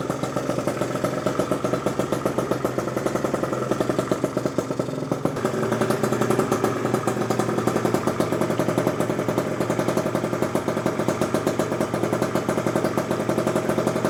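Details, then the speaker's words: Gilera Runner with a fresh PM Tuning 172cc two-stroke on premix, first start: a fast, even popping idle with a crisp ring-ding rattle and steady pitch. Deep sound, running cleanly; normal two-stroke idle. "172 engine has a specific deep sound to it, and it sounds gnarly."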